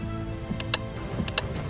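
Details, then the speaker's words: 2015 Ford Transit 150 EcoBoost horn circuit: relay double-clicks about 0.7 s apart but no honk, same with a swapped relay, so the relay seems good; fault suspected in the horn or wiring. "It was clicking, but it wasn't honking. So maybe it's the horn."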